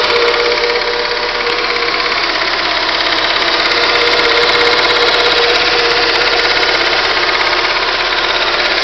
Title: Stukanie silnika